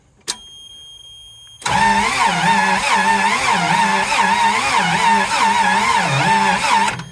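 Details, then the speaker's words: Toyota 3K propane forklift with 4Y engine, reportedly once seized, fresh oil added: starter whirs with steady rhythmic compression pulses for five seconds, never catches. "Press one more time. and nothing."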